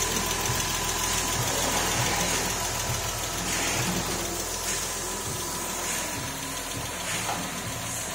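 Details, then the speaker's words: Porsche 996 3.4-litre with automatic gearbox, first start just after the engine was refitted following major work, running up to get hot: even idle with light quick valvetrain ticking over a steady hum, no knock or misfire; oil pressure present, no engine light. "Okay, Porsche 996, we just finished, first time we just put the engine back in, start it up, we're going to get it run to make it hot."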